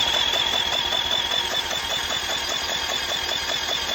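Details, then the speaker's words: 1980s Yamaha 225DX Tri-Moto three-wheeler being turned over on the starter; the compression valve is working. Even, regular chuffing about two to three beats per second. Normal cranking compression. "That sounds good. Oh yeah. Oh, she's got compression now, huh?"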